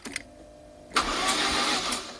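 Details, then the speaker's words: 1991 Lotus Esprit Turbo SE, sat unused almost 5 years, new timing belt, first key turn with battery: engine cranks over freely with even rush; a fuel-pump-like din also heard. "as you heard the engine turned over just fine"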